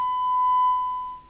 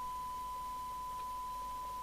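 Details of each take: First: 1981 DNT B40 UK FM CB radio base after capacitor replacement and transmit/frequency alignment: test tone in receive audio sounds harsh and buzzy, distorted; assumed because receiver (detector) not yet aligned. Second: 1981 DNT B40 UK FM CB radio base after repair and receiver alignment: steady clean test tone over faint even hiss, no garble; 12 dB at 1 microvolt sensitivity, previously garbled; receiver working properly.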